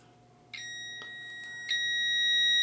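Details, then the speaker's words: Dryer showing PF power-failure code, unit unplugged, multimeter continuity test on a brand-new thermal fuse: steady high-pitched beep as the probes touch; fuse good. "There it is. So we know that fuse is good."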